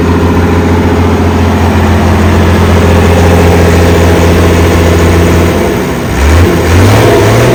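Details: Ex-Australian Army International ACCO 6x6 truck with a Perkins 6354 diesel, running and driving after bleeding the fuel lines: deep even rumble pulling steadily, pitch swinging with rev changes, smooth and regular, no knocks; normal running under revs.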